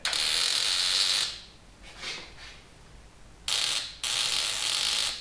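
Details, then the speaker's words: Non-running 1981 Honda CB750 on an ill-fitting battery: bursts of fast high ratcheting chatter with the key held and no cranking, the starter solenoid clicking. "boy you hear that little solenoid trying"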